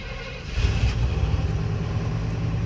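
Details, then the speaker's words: 1989 Chevy K1500 V8 after a new crate-engine swap, first start: the starter catches quickly and it settles straight into a deep, even rumble with no misses or knocks, and the oil pressure gauge is working. Normal start. "Wow, that startup is clean. Look at the oil pressure gauge back in action. Just gonna let it idle for a few. That sounds very clean though."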